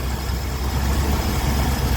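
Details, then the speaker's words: 1980 ramp truck V8 running after about 25 years sitting, on a newly fitted electric fuel pump; even, low idle rumble with no knocking or ticking, almost 80 psi oil pressure; normal idle. "and I don't hear any knocking. I don't hear any ticking or clicking. It has almost 80 pounds oil pressure, which is concerning, but it's running pretty good."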